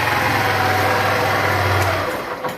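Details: Honda Bros 150 single-cylinder after repair of engine noise (suspected rockers, valve adjustment, con-rod or piston): putters at a steady, even idle with no knocks or rattles, then shuts off cleanly near the end.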